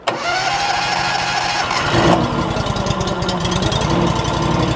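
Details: Honda GX630 V-twin on a Wolfe Ridge 35 SHO log splitter, started after replacing the main 30 amp fuse, with choke pulled and half throttle. The starter churns briefly, then the engine catches and runs with an even, steady beat, no stumble or knock.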